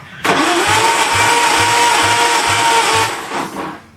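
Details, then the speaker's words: 1937 Wolseley 14/56 Series III possible replacement engine on a test stand during compression testing (110–120 readings): sluggish, labouring cranking about three beats a second under a steady motor whine; starter not getting full voltage, battery first suspected, cause unconfirmed. "starter motors actually giving trouble it's actually not getting the full voltage I thought it was the battery"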